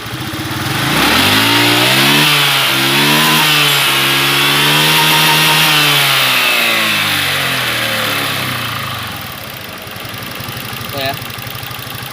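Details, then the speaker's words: Honda Beat FI 110 after the too-tight valve clearance was reset to about 0.5: a rev blip rises and falls, then it returns to a steady idle without stumbling or stalling. Stalling fixed. "sudah tidak matian lagi berarti memang benar ya masalahnya itu karena setelan klep yang terlalu rapat"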